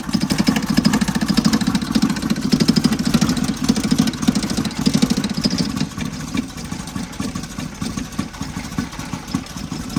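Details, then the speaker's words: 1977 Toyota motorhome just started after months parked: uneven, lumpy idle with a fast metallic chatter on each firing pulse, caused by a lost bolt that connected the air filter, letting the air cleaner rattle. "Turns out the reason it sounds so bad is I've lost a bolt that connected the air fil"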